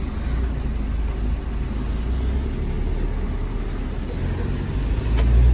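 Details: Hyundai Santa Fe diesel after no-start repair: restarts on first crank into a deep, even idle rumble with no misses or knocks, running healthy.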